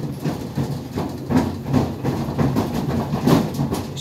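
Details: GE Profile Harmony dryer drying sneakers makes dull, uneven thumps once or twice a second over a steady rumble, audible from the living room; shoes tumbling in the drum.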